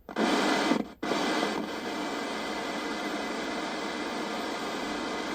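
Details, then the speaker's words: Cold, just-arrived 1983 Ferguson 39050 black-and-white portable TV, bought from eBay as not working: even steady untuned static hiss with no hum or crackle, so the tuner works; the set has lost vertical deflection. "Sounds like the tuner is working."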